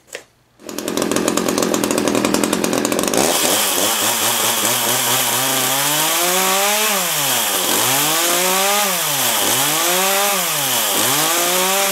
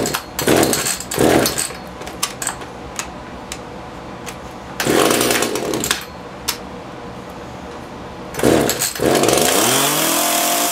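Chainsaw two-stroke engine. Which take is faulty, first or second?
second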